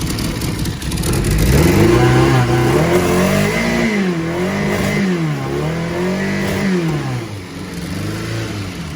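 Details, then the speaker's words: 4G63 four-cylinder compound turbo Fox Body Mustang, first start, revved after about 7 minutes cool down, dummy transmission fitted: blips choppy and uneven, pitch rising and falling; radical cams, needs tuning; lumpy untuned engine. "These cams are a little radical, so it's definitely going to need some tuning. But we'll get there."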